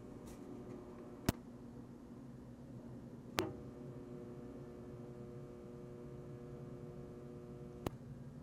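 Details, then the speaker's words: ADA Digitizer 4 digital delay powered on: faint steady low mechanical buzz, not in the audio; transformer vibration believed to make the case buzz. "it has a not an audio buzz it has a physical transformer buzz in it and I actually don't think it's because that there's something wrong with the transformer I think it's actually the case is buzzing because the transformers vibrating"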